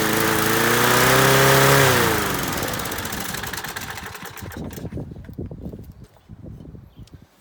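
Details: Masport 21-inch self-propelled mower, Briggs & Stratton Quantum 6hp, first start after new blades: steady flat-out high-pitched scream for two seconds, then winds down and dies; owner suspects throttle jammed wide open on governor side, not carb.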